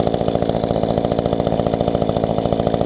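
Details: Mantis tiller two-stroke engine after carburetor adjustment, idling where it wouldn't before. Steady, even putter holding a fast idle with no surging or dying; normal idle.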